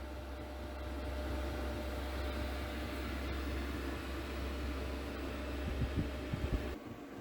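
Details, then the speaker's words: Cheap Chinese diesel heater on a computer ATX power supply, running over an hour at full output in a shed, outlets over 120 degrees, case 50: steady, even low roar from fan and burner, no ticking or surging; healthy. "I haven't found any problems thus far. No fuel leaks, no strange noises, everything seems to be working perfectly."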